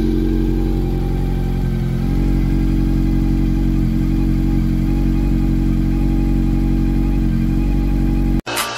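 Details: Honda CB400 after fixing a cam train ticking noise: smooth, even revving with no ticking over the top, music in the background; the engine sounds healthy.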